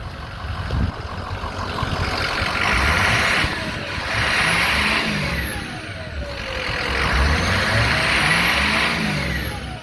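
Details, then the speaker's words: 2007 Ford F250 4WD 6.0 diesel, 147k miles, light revs from idle: climbs smoothly and drops back evenly with no knocks or misses; sounds really good, healthy. "Sounds really good. I'll watch the turbo."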